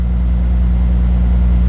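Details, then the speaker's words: 2005 Bentley Continental GT with a cold engine and the EVAP system disconnected: smooth, steady hum at a slightly raised warm-up idle, sounding better than before, though misfire codes remain. "Right. It's a bit high revs, but the car is cold."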